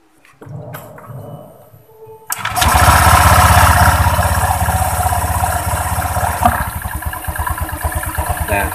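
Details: Honda Vario 125 scooter after CVT repair to cure klotok knocking at idle: after handling noise the engine fires and settles to an even, steady thump about four per second, with no clacking from the belt drive.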